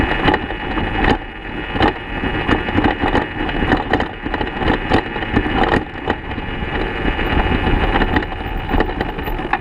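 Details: 2014 BMW F800GS Adventure coasting downhill off-road with the engine off: irregular hollow clunks over tyre and gravel noise, caused by damaged steering head bearings likely never properly tightened from factory; new bearings made it quiet.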